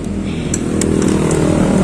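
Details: Hero Splendor Plus after starter motor refitted to fix self-start problem: even, steady electric whir with low hum building slightly, starter spinning smoothly and turning the engine over normally.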